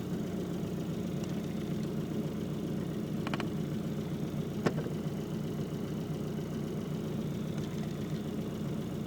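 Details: Isuzu Trooper at idle after turning off the AC: steady low rumble with occasional sharp clicks or taps every few seconds; unidentified noise.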